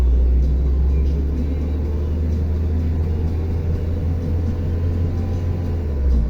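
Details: Car on a lift at a workshop, driven wheels spinning: low steady drone that dips as speed eases, from a worn right front wheel hub bearing.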